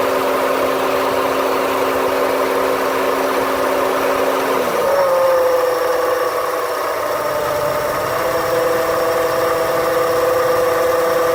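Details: 2008 Honda Civic: after the AC compressor clutch shuts off, the idle tone drops suddenly and the whole engine hums unevenly with a rough shake before settling; recorded from inside the car; cause not confirmed.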